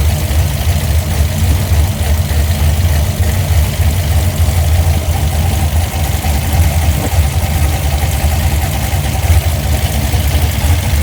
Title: Holley sniper misfire